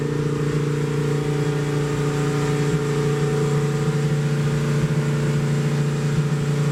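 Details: 1972 Plymouth Roadrunner 383 Magnum V8 with stock/RV-grind cam, break-in run (~11 minutes total) after 15+ months unrun: steady high fast idle around 3000 rpm, even and smooth, no knocks or misses; normal fast idle during cam break-in.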